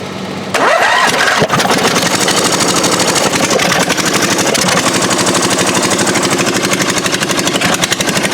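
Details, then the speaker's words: Murray riding mower, 22 hp twin engine: cranks, catches and runs with ragged uneven popping, running on one cylinder; plug wet with fuel, not burning, plug later found sparking, cause a bent pushrod. "he's a little wet on the end you can tell he's getting the fuel I don't think it's burning at all I'm hoping that means plug is bad"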